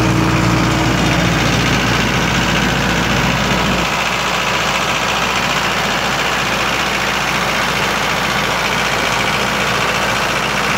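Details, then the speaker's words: 1995 Libby MEP-804A 15 kW military diesel generator, Isuzu 4-cylinder liquid-cooled, 2010 reset, 1800 rpm, 688 hours, started cold: catches and settles into a steady even idle, no knocks or misses; load tested 2 hours at 15 kW fine; normal idle. "good running unit this unit has been load tested for two hours at a 15 kilowatt load did just fine no access of smoke or whatnot no overheating problems all good as you can hear it runs great no unusual noises whatsoever no leaks"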